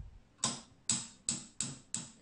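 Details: 1977 Quasar VR-1000 VCR built-in VHF/UHF tuner buttons clicking through detents: five crisp, evenly spaced clicks about 0.4 s apart, clean normal tuner action.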